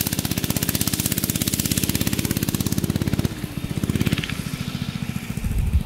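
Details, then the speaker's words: Barn-find minibike's small single-cylinder engine, sat 20-25 years, after lubing a shaft that had squealed metal-on-metal: quick, even popping that slows then picks up with no squeal; oiling the shaft cured the squeal. "All right, now listen to the engine here. See if it's still squealing. That fixed the problem. So oiling that shaft up got rid of that squealing sound."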